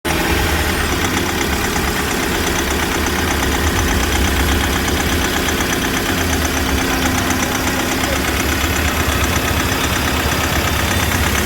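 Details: Mahindra XUV500 W9 diesel at idle: hard uneven knock over the clatter; someone suspected a seized piston.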